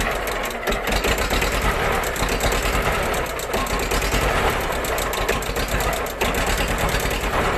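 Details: Old tractor after self-repair of a stuck gear (worn, rusted selector rubbing the shaft), started after glow-plug preheat with clutch pressed: steady diesel clatter at even idle, no misses or knocks; engine running healthy. Normal diesel idle.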